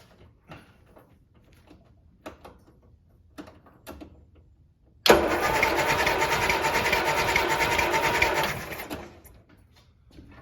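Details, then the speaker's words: Land Rover Series 3 after head gasket replacement, compression test on cylinder 4 that previously read 0: about four seconds of brisk, even cranking with no firing, now reading 10.5; normal cranking during compression test. "Right, that sounded better. That is 10.5, I'm going to say."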